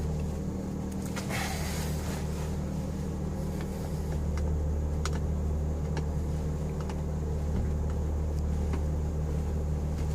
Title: Possible vacuum leak 11 NC Miata